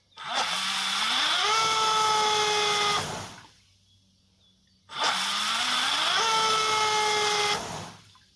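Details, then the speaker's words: RC 1800 KV motor on a single battery, pulling too many amps; whine climbs and holds, then drops out abruptly twice; ESC low-voltage cutoff under high current, fix is a second battery in parallel. "that and that's the ESC cut off so I went and I picked another battery and I will connect it in parallel to prevent the low voltage cut off because the motor is pulling too many amps from the single battery"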